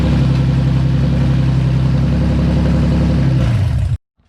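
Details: Nissan VQ35DE engine swapped into an S13 240SX, freshly rebuilt with new bearings, gaskets, rings and seals, first starts: deep, even idle with a steady beat, no knocks or ticks, then clean shutdown after about four seconds; normal.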